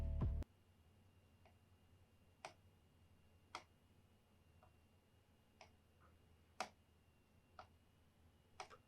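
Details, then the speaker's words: Casper Excalibur G900 laptop touchpad under light hand pressure: faint, separate, light ticks at irregular intervals about a second apart sound like clicks but do not register; this is normal touchpad mechanism behaviour. "tıklamıyor Arkadaşlar şu an bu ağırlık veriyorum hafif tıklıyor muu gibi ses yapıyor ama tıklamıyor"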